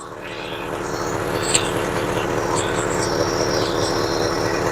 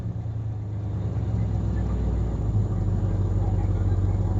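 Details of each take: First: 1966 Ford Galaxie 500 V8 after work before a car show: smooth, steady low idle with an even beat, starting and running well, though a slight stumble on recovery and a vibration sound were noted just before. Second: 1966 Ford Galaxie 500 V8, first start, water temp good: even burble at a fast idle, clearly above a normal slow lope; idle is too high and needs adjusting down.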